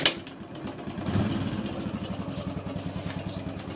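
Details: Hero Splendor Plus single-cylinder engine idling with light metallic rattle over steady low thump: timing chain noise persisting even after genuine Hero timing chain kit was replaced.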